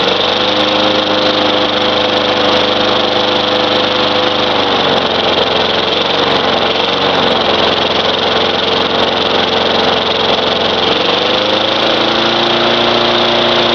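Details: Craftsman 4.5 hp Tecumseh mower that had diesel in the cylinder, running after the fouled spark plug was cleaned: a tinny, high-pitched single-cylinder drone that dips briefly and recovers, while smoking blue. It runs again.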